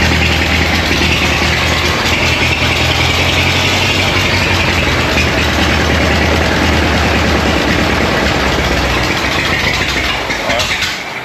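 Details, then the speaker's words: Abandoned, rescued Ford Model T (no fuel pump) running on regular gasoline before a moonshine test: loose, busy low chug, even throughout, fading slightly at the end; normal running. "All right, that was regular gasoline."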